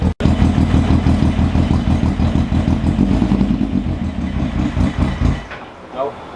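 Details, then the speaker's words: Car revved then released: the idle beat sags and the engine dies within seconds. It idles fine and the temperature is fine. The owner suspects the sensor; the cause is unconfirmed. "So when I rev it, when it comes back down, it gets too low and it dies out. So the car runs and idles fine, the temperature's fine, but whenever I rev it a little bit and it comes back down, it dies out."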